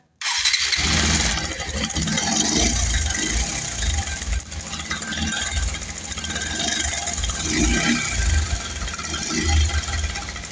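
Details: Bajaj Pulsar 150 BS6 motorcycle at start-up: fast uneven metallic rattle over the single-cylinder idle; likely worn timing chain, replaced with new chain.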